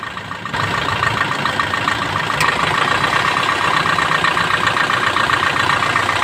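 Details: Suzuki Swift engine; it catches and settles into a steady idle with only light, even ticking and no grinding or squeal from the pulley, sounding healthy.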